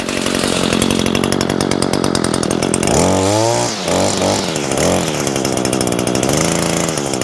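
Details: New Echo SRM225 two-stroke trimmer with speed-feed head, just started on a 100°F day, idles steadily with a crisp buzz, revving up and dropping back cleanly with no stumbles; owner pleased with its sound, normal running.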